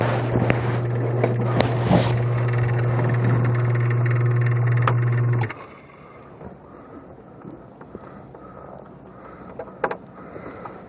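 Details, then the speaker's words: Coast Spas Mirage hot tub with a no-heat fault, pump running outdoors at about 1 °C: steady low motor hum with a loose buzzing rattle until the pump cuts off; likely a loose cooling fan behind the motor, a typical failure. "I mean, we really need to turn this tub off, but you can hear this rattle going on too. That's usually there's a fan back here. Pretty typical for them to fail, become loose."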